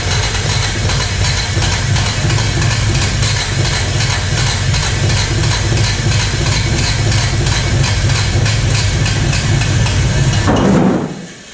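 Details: 1986 Toyota Corolla AE86, parked since 2010, cranked with a freshly charged battery: steady fast starter churn for about ten seconds with a few uneven catches that never build into running; no start, and rough-looking spark plugs were suspected next.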